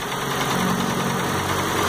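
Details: Chevrolet Celta 1.0 2004 gasoline engine, idling smoothly and evenly after an irregular, misfiring idle was traced to a missing ground connection; a steady hum with no misses or surges.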